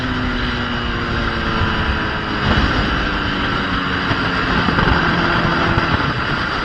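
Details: Gen 1 Kawasaki ZX10R ridden after replacing the fuel pump and fuel filter sock: strong engine note climbing smoothly and holding under load amid wind noise, no stumble or cut-out. The fault was the sock or the pump. Normal acceleration.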